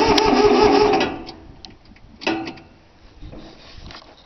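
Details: Cold start attempt on a 3-cylinder Yanmar diesel after glow plug heating: about a second of steady, even cranking at roughly four turns a second, then it stops with no catch, turning over without firing; fuel lines weren't bled, owner also suspects worn starter.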